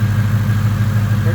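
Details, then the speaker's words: Ford Coyote V8 after the cam phaser limiters were reassembled to fix a timing chain chirp and rattle: a deep, even idle at a calm 750 rpm on the warm-up cycle, coolant 189, oil 29 psi. No chirp or rattle, much quieter than before. Normal idle. "we're at a pretty calm 750 idle just about to turn the fans on for the first time I think on the warm-up cycle"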